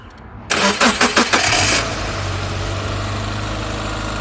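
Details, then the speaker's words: 2002 Subaru Forester with all accessory belts removed, started and settling into a quiet, smooth idle with no squeal or chirp. Because the pump and pulleys checked good, the tensioner pulley is concluded to be the noise source. "Yeah, you hear that? It's extra quiet. So when it's that quiet and you took off all your belts, this one's good, this one's good, your pump is good, and then the only other one it can be is that tensioner pulley."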